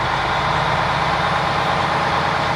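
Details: Diesel truck with a steady, even idle, dense unchanging rumble and no misses, knocks or surges, after priming the fuel system, flushing water from the fuel and changing a sensor. No check-engine lights now, though the owner says it may return because of injector cups.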